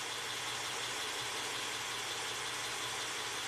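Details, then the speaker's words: Honda Accord V6 with VCM, P3497 cylinder 4 issue, codes cleared: hot idle is a quiet steady low hum, no stumble or shake, over hissy background; fine until cylinder 4 deactivation solenoid is energized, which owner suspects is defective. "just beautiful so until that number four deactivation solenoid is energized everything's just perfect"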